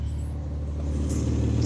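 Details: Steady low V6 idle rumble, even and settled, with a faint puffing chuff from leaky exhaust joints, after setting TPS, idle screw and ignition timing on a Mazda MX-3 with swapped KL 2.5L V6, Millenia intake and throttle body; normal idle.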